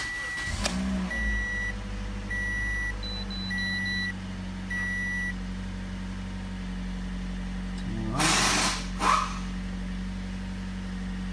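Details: 2015 Toyota Corolla, 73,000 miles, had random misfires P0300–P0304 and P0010 intake camshaft actuator code; after repair and clearing codes, restarted: steady, even idle, smooth low hum, no misfire stumble, chime beeping over it. Normal idle.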